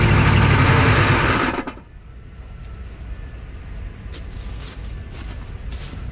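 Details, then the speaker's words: 1986 Chevy 1-ton dually with the 6.2 Detroit diesel, abandoned 22 years, first start on jumper cables with eye-burning white smoke. It runs with a fast, busy rumble and the idle shoots high as if about to run away, then is shut off; starter may be sticking. "runs baby my eyes are burning but that time it stayed running I'm not sure I actually shut it off because of the high idle it just started idling really high like it was going to run away"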